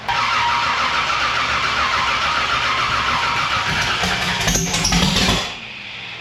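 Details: Race car with newly installed 1150cfm Pro Systems carburettor on E85: long uneven cranking, engine catching briefly then dying away before eventually firing; slow to start.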